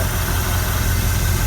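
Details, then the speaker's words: 1967 Chevrolet C50 dump truck, sat for about two years, running again after three hours of work including new NGK spark plugs: deep, even idle rumble with no stumbles; runs smoothly. "so just three hours on the C 50 and it's back running again pretty sweet puts in here for about two years so it's good to hear it jump back into life after just a little"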